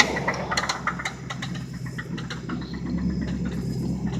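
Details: 1995 Lincoln Town Car, 326k miles, idling: low hum broken by sharp uneven metallic raps; severe rod knock on cylinder 3, engine due to be replaced.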